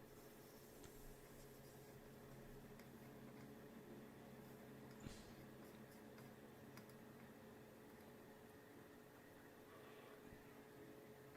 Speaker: I can hear my old fan in the background cuz I remember that noise was cuz it was an old fan.